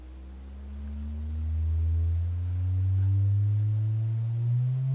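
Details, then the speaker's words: Teledyne Acoustic Research AR11 vintage loudspeaker, previously owner-modified, likely for woofer foam-surround rot: a pure low sine tone sweeps smoothly upward at low voltage input with no rubbing, buzzing or rattle; the woofer cone moves cleanly. "I mean it's not rubbing or buzzing or anything but even at this even at the low voltage input"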